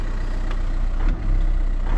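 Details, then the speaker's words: VW Touran idling just after an oil change (5W30, new filter, old oil very black), hood open, turbo engine; starts better than before, when it juddered. Deep, steady idle rumble with an even beat, no tapping or rattles: normal idle after service. "Déjà elle démarre mieux qu'avant, parce qu'avant elle broutait. Là elle démarre mieux. Donc on la laisse tourner."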